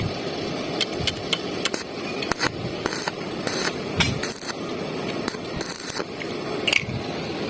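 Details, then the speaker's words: Redbo 200 A inverter welder after repair, test welding on mains power starting at 50 A, then around 140 A: crackling, sizzling arc in irregular bursts, starting smoothly and holding stable without cutting out. "Kita nyalakan, mulai dengan 50 ampere terlebih dahulu. Amp mulai dengan lancar, kawan-kawan."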